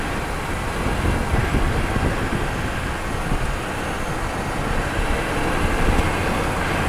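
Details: Microphone mounted near the wheel while driving and braking, final test after repairing the wheel noise when braking: only tyre rumble and road noise, no squeal or scraping; brakes now quiet.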